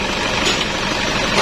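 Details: Toyota Innova 2KD-FTV D4D diesel, 2004: harsh rattly idle with hard metallic knocking from a faulty non-genuine fuel pump suction control valve whose piston sits open when off; temporary fix swapping in the old piston.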